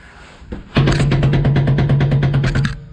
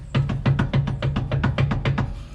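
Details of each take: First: Commercial vehicle air disc brake, axle jacked, brakes released, clunk test by hand: loud fast metallic clunking with far more movement than other calipers, indicating a problem in the adjuster mechanism; caliper shows impact damage. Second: Commercial vehicle air disc brake, axle jacked up, brakes released: quick light metallic clunks as the caliper is rocked by hand, normal running clearance about a nickel's thickness.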